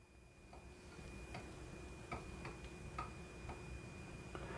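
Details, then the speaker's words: 200 W DC motor on an H-bridge, PWM duty above 80% but the motor not starting: irregular sharp ticks about twice a second over a thin steady whine and low hum. "Nós estamos além de oitenta por cento do nosso do site eo motorista Não partiu Isso vai ser um belo de um problema você também deve estar se perguntando a respeito desse ruído esse ruído não tá legal né"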